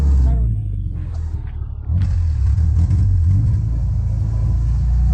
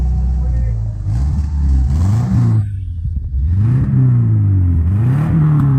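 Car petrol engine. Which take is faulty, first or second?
second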